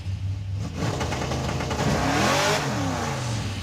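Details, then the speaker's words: 1956 Chevy in first gear on the brake, two-step button pressed, throttle floored: revs rise then hold at 3,000 rpm with a choppy, stuttering note; rev limiter holding revs. "So I put it in first gear, step on the brake, press the button, and now the car won't roll. And if I floor it, it'll go to 3,000 RPM."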